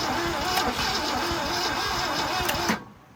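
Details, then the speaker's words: Long-abandoned 1966 Ford Ranch Wagon ambulance, big V8, engine somewhat warm: starter churns evenly about four beats a second under three seconds, then silence; cranks but won't start, battery too weak. "Yeah, battery is just too weak for this big giant V8."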